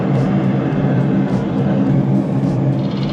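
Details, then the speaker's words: Blower after loose blower wheel repositioned on shaft and set screw retightened: even steady whoosh and low hum, no rubbing, rattle or wobble; unit running fine after repair. "Unit seems to be running just fine."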